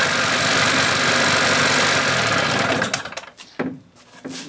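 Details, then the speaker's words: 1981 Evinrude 15 HP outboard: quick, even two-stroke idle with no whine or knock, then shut off; the earlier whining was in the lower unit and the powerhead sounds good. "I got my sucker off so you can hear the engine no whining so the winding was in the lower unit motor sounds good real good power heads"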